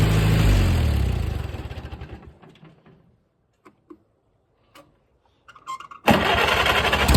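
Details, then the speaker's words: Farmall 230 petrol tractor, first start in many years, converted 6V to 12V: catches running fast and rough, fades out, restarts and holds a high fast idle. Carburetor not yet adjusted; owner suspects throttle shaft slop. "I ain't touched the CRA yet it ain't iding down like it's supposed to"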